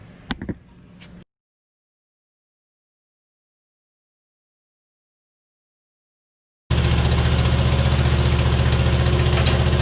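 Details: Hustler Super Z mower with a Kawasaki engine at 1900 hard hours, test run after rebuilding its 66-inch deck. The blades had been hitting each other, so the owner suspected a bent part. Settles into a smooth, even low idle with a steady beat and no knocks or misses.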